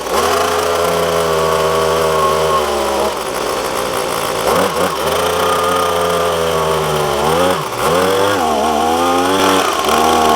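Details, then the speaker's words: Echo PB250LN handheld two-stroke blower, full tank, starts and runs fine until it reaches operating temperature, then bogs and cuts out past about half throttle; steady buzz stumbles and sags in pitch when squeezed further. Tune-up kit ordered as the fix. "got up to running temperature and as soon as I get to pass about half throttle and I try to keep squeezing it it just it just cuts out"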